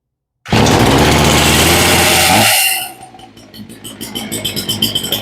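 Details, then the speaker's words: Ryobi chainsaw after carb rebuild and new spark plug, started on full choke: brief high rev then low steady putter of even pops; clean stable idle. "Okay, she's idling nice and low."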